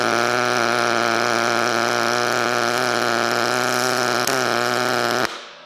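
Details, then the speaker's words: Sherman DigiMig 215 DualPulse in pulse mode, 0.8 mm wire on 2 mm steel, lower amperage and higher voltage than standard MIG: even, steady buzzing hum with a fast pulsing flutter, cut off cleanly, a clearly different sound; normal pulse MIG arc. "that's definitely a lot different sound. Let's do it again and a little bit faster, because I..."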